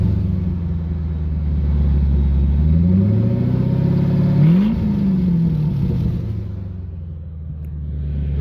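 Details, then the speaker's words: 1997 Crown Vic with a temporary open exhaust of 2.25in pipes and an X-pipe dumping behind the front seats; a deep booming drone swells with engine speed and is worst when driving around 30 mph. "It just drones super bad. Especially when you're driving it at like 30 miles an hour."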